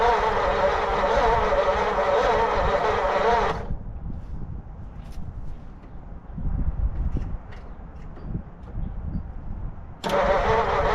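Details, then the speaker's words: 1940 Mercury Eight flathead V8, sat since the 1970s, poor battery connections: starter churns, pauses, cranks again, never fires; spark present, valves suspected not sealing, compression test and head removal planned. "Well, shoot. Would have been cool to hear it fire for a second. Just don't think I'm going to get it to happen."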